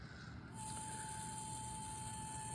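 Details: DJI Mini 3 Pro after a small tumble into a bush: the gimbal makes a constant, steady high servo- or vacuum-like whine at one pitch. An IMU attitude error is shown, and pressing the gimbal stops the noise.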